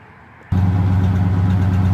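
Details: 1985 Oldsmobile Delta 88 with newly finished exhaust, pipes run out the back without tips, before a planned major tune-up: fires into a deep, steady, even rumble; healthy idle, though the owner notes a few rattles to find.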